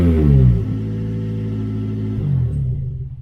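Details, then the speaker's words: Toyota Corolla with the muffler removed before a Borla exhaust install. Deep, loud booming rumble that swells on a rev and drops back to a throaty idle. "I know you guys probably want to hear it without the muffler so I'm going to start it up and maybe give a little rev or"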